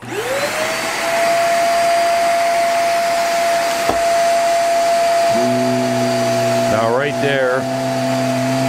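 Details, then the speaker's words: Hoover REACT Professional vacuum: high steady brush motor whine suddenly drops to lower hum as the power head cuts out at a certain handle position; owner suspects a faulty switch in the power head. "it seems to the power head the switch in there seems to screwed up it'll it'll come on just in a certain certain area then I'll shut off once you get down so we'll fire it up"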